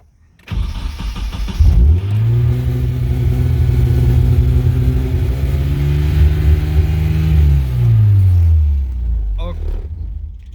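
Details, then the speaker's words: Nissan car, first start after reassembly with battery installed and short shifter: engine catches and settles into a fast steady idle well above normal; idle rpm too high, needs adjusting. Cooling fan noted cracked. "okay as we can hear that it runs but um yeah that's a bit too high i think of an rpm i think we need to adjust it otherwise it's going to be screaming at those kind of rpms which is not good"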